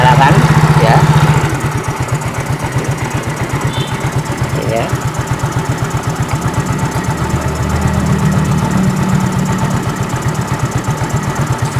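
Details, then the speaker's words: Fuel-injected motorcycle that won't idle and won't rev: single-cylinder idle thumps about four a second but sags and hunts; dirty throttle body sensor, cleaned by spraying carb cleaner into intake with engine running. "Bagi yang mempunyai permasan sepeda motor ini motornya tidak bisa stasioner ataupun motornya ketika digas itu RPM tidak mau naik"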